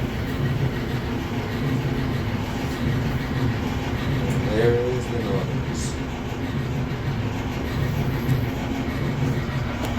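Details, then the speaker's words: Samsung dryer after replacing flat-spotted drum support rollers and shafts: steady low, smooth tumbling rumble with no thumping, slightly louder from the new components, then stops; normal operation. "samson dryer dumping sound resolved and when replacing the support rollers your dryer will sound a little bit louder than what you're used to because of a new component"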